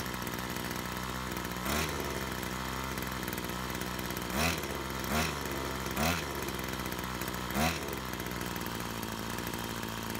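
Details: Brush cutter after repair of a fuel leak from a split fuel hose that had stopped the engine while mowing: steady two-stroke buzz with a few short throttle blips, picking up cleanly each time; smooth and even.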